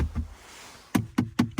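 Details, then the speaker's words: BMW X4M Competition interior trim struck with a hockey puck in a rattle test: six solid, dull knocks dying quickly with no buzz or rattle; nothing loose, just plastic sound. "yeah no everything's good so hockey puck is just about the right weight to do that check and i found this to be just the perfect oh here a little bit here um but that's not it's not loose it's just the sound of the plastic"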